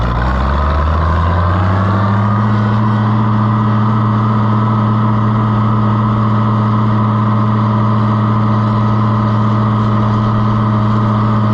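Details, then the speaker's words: Oliver 1650 tractor that intermittently won't run at its owner's place: engine picks up briefly then settles to a steady even note, no knocks, misses or surging; runs healthy here, cause still unknown. "I cannot figure out why it runs here but it won't run at his house sounds healthy"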